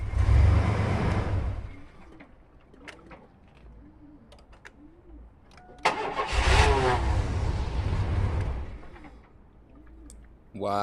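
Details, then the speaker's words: Chevy Astro van cranked with an AUTOONE 4000A jump starter reading 16 volts. Strong cranking bursts catch briefly, then die, twice over; it turns over fine but won't stay running. Cause suspected, not confirmed. Crank, no start. "Right now the issue, the van is not staying on, but listen to it. It has a cranking power."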